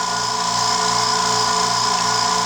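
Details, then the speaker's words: New California Air Tools quiet air compressor, just assembled, recorded about 2 feet away, filling quickly toward shutoff: steady high-pitched motor hum with even pump pulse, no knocking or squeal; normal running. "Doesn't take it long to fill up either."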